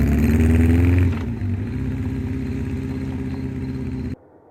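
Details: 1984 Honda CB700SC Nighthawk S on test ride just after a top-end rebuild, still breaking in: even steady engine beat pulling smoothly without knocks or rattles; rider calls it smooth, engine healthy.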